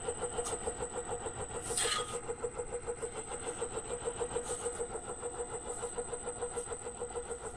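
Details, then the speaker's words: Reeder 2x72 belt grinder, 2 hp Hallmark three-phase AC motor on a KBAC-27D VFD at 40%, belt removed: a steady hum with a rhythmic pulsing flutter. Owner suspects an internal motor cause, perhaps cooling-fan imbalance or the VFD, unconfirmed. Motor vibration. "I don't know if you could hear that it almost sounds to me like it's coming from inside the motor"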